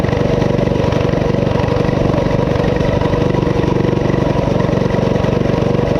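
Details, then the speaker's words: Coleman CT200U-A minibike with 196cc engine, new carb gasket fitted: it idles fast and busy, never settling despite several carb adjustments. Cause unknown; owner wonders about the clutch. "I cannot get it to uh to mellow out"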